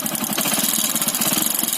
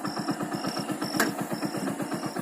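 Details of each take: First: Bike engine at idle: fast, light, sharp metallic tapping over an even idle; piston has become loose in the block, to be replaced to stop the noise; piston slap. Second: Motorcycle single-cylinder engine after curing piston noise from a loose piston in the block: even, steady beat at about four pulses a second with no tapping or knock; normal running after repair.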